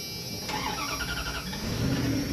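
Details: Vehicle that would not start, after cutting out badly deteriorated battery cables and tightening everything: starter cranks briefly, engine catches cleanly and settles into a steady idle; starts normally now.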